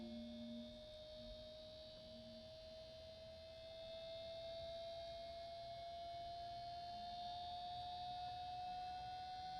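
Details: Traxxas EZ-Peak Plus charger with its noisy original 30x30x7 mm fan (suspected dry bushing) replaced by a 30x30x10 mm, 5-blade, 12 V fan of about 7,000 rpm; quiet, even whirr rising as it spools up, no rattle or buzz: normal running.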